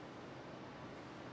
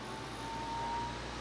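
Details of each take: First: Intel TS15A stock CPU cooler on an overclocked CPU running a Blender render: steady even airy rush, fairly loud but not bothersome; normal fan noise under load. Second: Intel TS15A stock-style CPU cooler fan at full speed during CPU overclocking stress test: loud steady rushing whoosh with thin ~900 Hz whistle, desk vibrating; CPU throttling as package temperature passes 100°C.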